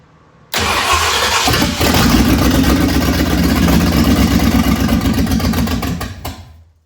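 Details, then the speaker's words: 1965 Ford Thunderbird FE 390 V8 cranks, catches and runs a few seconds at an uneven idle, then dies. This is its longest run so far. The fuel pump sat dry a year and the owner suspects it needs replacing. "that's the longest it has run so far so it does do that I don't know well so it looks like I need a new fuel pump kind of"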